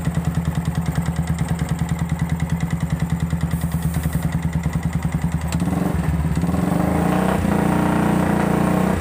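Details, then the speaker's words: Yamaha Vixion engine with dry radiator, mechanic suspects failed water pump seal let coolant mix with oil and damaged the cylinder block; harsh, rapid knocking at idle, about three per second, rising with revs; piston slap. "Bunyinya kasar karena ini apa, air radiatornya kering. Ini paling-paling sih water pumpnya yang rusak. Ini kan tadi suaranya kasar banget, ngaklak banget."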